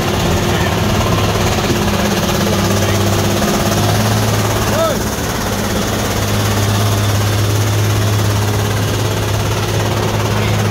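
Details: Truck on the Sitinjau Lauik road: a heavy diesel labouring under a loud, rough, rhythmic chop at about three beats a second, like a helicopter's rotor blades. The cause is unclear.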